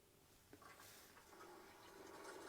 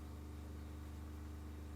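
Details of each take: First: Factory Jayco caravan water pump heard from about 1.5–2 m away, with the bed open and the phone on the bench. A loud, steady, fast-pulsing hum measuring 62–65 dB; noisy baseline before replacement. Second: New replacement water pump rated 55 PSI, accumulator set to 52 PSI, running around 54: low steady hum with even pulse, no rattle or surging; considerably quieter than the previous Shurflo.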